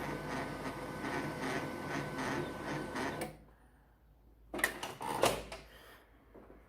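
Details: Canon 2009 laser printer with Canon 12A cartridge makes a harsh rattle with thin whine for about three seconds while printing; wiper blade was smoothed first, and replacing the magnetic roller (faulty) fixed the noise.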